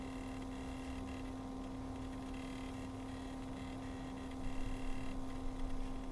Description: There is a weird noise from the liquid pump. What is the cause of it?